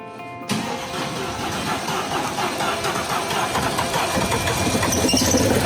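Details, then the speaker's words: Mercedes-Benz S63 AMG towed in: engine catches and settles into an uneven, lumpy, stumbling idle; left bank misfire, no combustion on the left side responding to ignition. "It's have a misfire on the left bank. Nothing on the combustion on the left side responds to the ignition."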